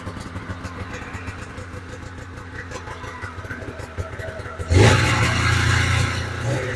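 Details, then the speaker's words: 1997 Polaris Indy 440 Touring two-stroke snowmobile, started after sitting a couple months, catches into a rough, uneven buzzing idle and only keeps running with the choke half on. "we are going to go through the carbs because she likes to run with the choke half on"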